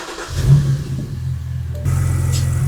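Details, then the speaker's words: 2008 BMW 328xi N52 six-cylinder at idle: high crankcase vacuum (37 vs about 30 spec) from failed CCV breather valve draws air through crank seals, causing howling; hiss and engine note jump as vacuum releases. "start sucking outside air through the engine seals through the front crank seal and through the rear man and the air passing through those seals from all that high vacuum causes almost like a howling noise"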